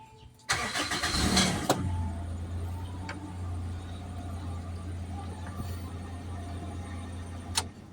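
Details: Toyota Revo that was hard starting when cold, checked with relays and diagnostic code reading by jumping E1. Here a short crank of about a second catches right away and settles into a smooth, steady low idle. Starts normally.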